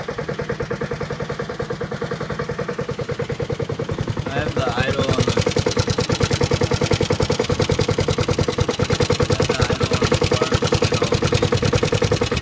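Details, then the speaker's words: Honda HRT216 mower cold-started after sitting outside without fuel since February and then being refueled. An even, regular putting at roughly two hundred beats a minute stays steady; a smooth, healthy low idle, smoothest the owner has seen it run. "wow no way smoothest I've ever even seen it run before"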